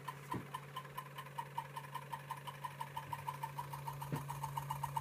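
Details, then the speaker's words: Homemade generator with two Bedini coils driving two slayer exciter circuits and a 1700-turn secondary spinning on two VHS heads, on a 14 V test: steady hum with a sharp squeaky tick about six times a second, once per turn, from the poorly designed secondary lead rubbing the core. "can you hear that squeaking noise that's my really poorly designed connection for the secondary it's rubbing against the uh the like the core if you like down the bottom"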